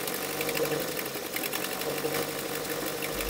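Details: Barn-find 1980s turbo MG Austin Rover classic, first start after sitting with fuel fed by syringe: engine settles to a steady, even idle with no misses or knocks, running normally; fuel pump still to be checked.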